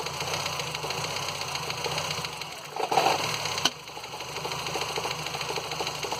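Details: Ford Fiesta Endura engine at idle: light fast tapping over a steady idle with one louder rattle midway; owner asks why the engine makes this noise; source unclear.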